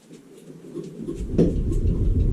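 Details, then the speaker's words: Daewoo Lanos 1.5 front suspension: a single sharp click among rumbling creaks when the car is rocked side to side; click then stops until the car sits a while, also occurs when pulling away and turning right. Cause not yet found. "В общем, расшатывая машину из стороны в сторону, происходит щелчок."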